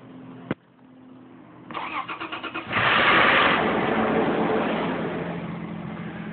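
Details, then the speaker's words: Toyota FJ Cruiser with aftermarket headers, hard start-up: it cranks, catches with a loud flare and a brief flapping rattle suspected in the valvetrain, then settles to idle. Different oil filters were tried against oil drain-back without success. "you can hear that momentary like flapping something in the uh valve train I think but uh I don't really know where to start"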